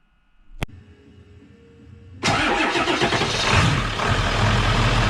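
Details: Ford 7.3 Super Duty diesel, coolant slightly below max cold fill after coolant leak repair: brief crank then catches and settles into steady, even idle with smooth clatter; normal start and idle, sounds healthy.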